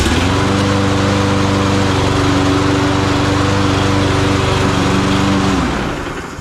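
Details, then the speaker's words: Free Craftsman lawn mower after broken blade adapter repair: steady, even buzz with no shake or stumble, then clean shutdown; no bent-crank vibration, normal running. "if it runs good works good then we'll put up for sale 150 bucks 100 bucks in my pocket I'll show you guys runs nice and good"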